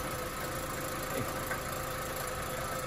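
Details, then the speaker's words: Volkswagen Beetle idling, noise worse when revving: faint tinny rattle over the exhaust note, sounding when the muffler is moved; loose internals in the catalytic converter, which needs replacing, no O2 sensor light. "sonido viene de aquí, de catalítico. Cuando movemos el mofle, suena, escuchen. Ese adentro que está sonando, entonces van a tener que cambiar el catalítico"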